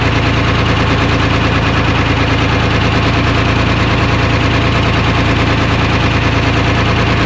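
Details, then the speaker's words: 1975 International Loadstar 1850, Detroit 6V53 two-stroke diesel, first start after fuel-line work, idle set high, no coolant in it: loud busy idle with uneven stumbling beat about three per second, one cylinder dropping out, heavy miss; owner suspects air in fuel or real issue; oil pressure about 65 psi. "she's a runner got a hell of a miss i'm not sure if that's just air in the fuel or if we got like a real issue"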